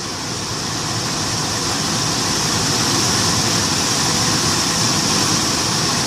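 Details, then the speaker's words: Infiniti M45/M35 blower motor under the glovebox, the old worn unit plugged in with AC on max: constant high-pitched squeal over a rough rattling whir at one speed; loud blower, usually worse in cold, fixed with a less worn spare. "you see it rattling squealing all kinds of sounds all right I said it's gonna make all kinds of noises"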